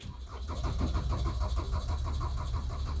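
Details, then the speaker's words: Rust-damaged auction car cranks at about five even beats a second but never fires; dash shows reduced engine power and service traction control errors; crank no-start. "and it won't start hear that it won't start and then i got an error up here"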